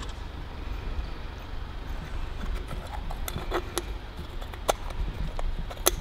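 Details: 1942 Harley-Davidson WLA V-twin, formerly a non-starter, now idling: low loping thump with light clicks from the throttle stop screw hitting the carburettor; idle clean and healthy.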